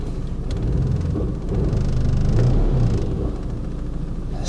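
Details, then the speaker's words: Salvage Mercedes A200d Premium diesel, 83,000 km, engine fault, no drive; deep uneven idle rumble with rough pulsing undertone, bonnet wobbling; owner suspects a worn dual mass flywheel, not confirmed. "well sounds like drawer mass is knackered to me proper"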